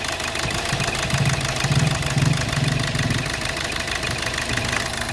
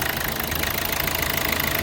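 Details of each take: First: 2012 Hyundai Verna Fluidic: rough, uneven idle with heavy irregular knocking and engine shake as cylinder 3 misfires; the injector tested fine, and an ECM fault (low voltage on the injector circuit, open circuit) is blamed. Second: 2012 Hyundai Verna Fluidic diesel after ECM repair fixing cylinder 3 injector circuit open fault: engine idles smoothly and evenly, ordinary light clatter, knocking and misfire gone.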